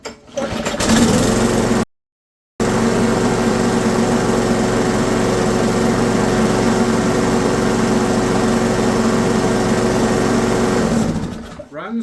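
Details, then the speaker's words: Briggs & Stratton 190cc L-head on an Ariens machine, after fixing a stuck auto choke: single cylinder putters evenly, slightly slow, with no misses or surging; running fine, idle speed to be raised by bending the governor tang. "So, we're probably going to speed that one up a little bit. We're going to bend the little tang on the front to bring the RPMs up a bit."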